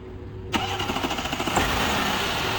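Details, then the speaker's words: VW Touareg EA837 3.0T, rebuilt 2020, first cold start of the morning after tensioner repair with added preload spring and high-pressure fuel pump rebuild: short crank, slightly delayed catch, smooth even idle, no chain rattle. "早上启动第一把，看一下有没有异响，问题解决了没有？现在是早上起来第一把啊，启动，"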